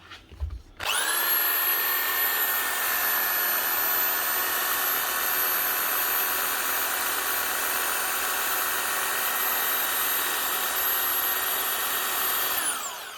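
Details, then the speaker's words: DeWalt DW331 Type 2 corded 240 V jigsaw after repairing a snapped metal actuator part that had jammed it, speed turned up: steady high-pitched motor whir with even blade chatter; runs smoothly. "One DeWalt jigsaw that was jammed. Up and running again. Just from a broken actuator inside."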